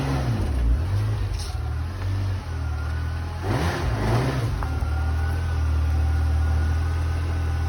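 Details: 1989 Ferrari Mondial T Coupe, totally cold after sitting about a week: catches, settles to even idle, then two clean rev climbs and falls, no knocks or misses; healthy cold start.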